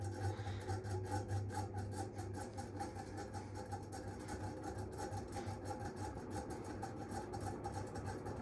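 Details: High-hour, dusty Mistralaire MCFA48 1200mm industrial ceiling fan with a loose, wobbling mount, started on high and slow to spin up; dry scraping rasp about once a second over the hum; capacitor still good, bearings worn.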